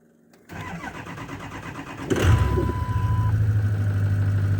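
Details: 2004 Ford E-350 6.0 L diesel van after a no-crank, no-start fix: blown 30 A PCM/injector fuse from a failed fuel heater, heater unplugged, fuse replaced. Starter cranks evenly about 1.5 s, engine catches cleanly to steady idle; normal start.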